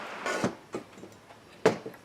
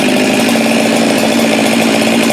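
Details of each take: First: Husqvarna 372 chainsaw during assembly, clutch drum turned by hand: a few light, crisp clicks as the slot captures the oil pump worm gear, showing it is engaged correctly; normal. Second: Husqvarna 372 chainsaw built from used parts (Madsen top end, decked, machined squish band). The aftermarket throttle handle, drilled too deep, prevents full throttle. Steady buzz that falls short of a full scream, then bogs while cutting. Throttle not opening fully.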